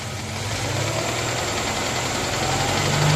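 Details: Moskvich 2140 petrol engine at idle with a fairly regular knock, about three to four a second, over the running note; source of the knock undetermined.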